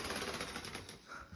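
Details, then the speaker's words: Bachmann model train locomotive at full power pulling cars: rapid even clicking rattles, then fades; cracked drive gears, likely to split. "You can definitely hear the cracked gears in there. It's only a matter of time before this actually split in two."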